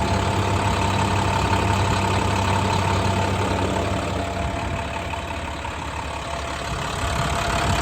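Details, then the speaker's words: 2012 International PB105 short school bus diesel idling warm after running about 10–15 minutes, no major leaks seen; steady even clatter with smooth low rumble, no misses or knocks — normal idle. "It's been running here for about 10-15 minutes."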